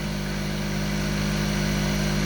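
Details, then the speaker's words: Panda spin dryer at 3200 rpm, shaking and walking: loud, steady low hum with buzzing edge like a vintage fire alarm bell, far louder than the comparison dryer with same drum; loud vibration whine. "mathil vibration noise [Music] it sounds like one of those vintage fire alarm bells [Music]"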